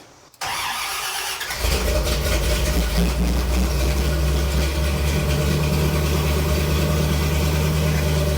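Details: 1975 Ford F150 with a budget-built 390 FE V8, first start in 30 years: the starter cranks briefly, then it catches and settles into a strong, even idle with a deep rumble; 78 lbs oil pressure, healthy start before break-in.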